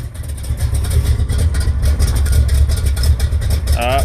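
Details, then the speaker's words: Carbureted American muscle car, ignition recently fixed, just started cold without working choke: lumpy uneven low idle, pulses wandering and sagging near stall until carburetor circuits come in; cold idle stumbling, needs extra gas without choke. "You could hear it starting to die. It's gonna be a little bit before it picks up and all the circuits, everything start working in the carburetor. That's why you gotta get the gas so much without that stupid choke."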